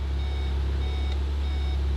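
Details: Crash-damaged VW Mk7 Golf R, cold with no cooling, gearbox put in reverse to check for damage: steady high beeps repeat about every half second over a low cabin hum; parking sensors working normally.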